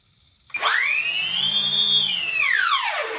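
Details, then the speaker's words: E-flite Convergence plug-and-play with a six-channel Lemon diversity receiver, in airplane mode after arming AS3X: the motors spool up with a clean whine to a steady high pitch, then wind down; normal. "I'm going to go ahead and uh spool up my Motors a little bit here everything fine there"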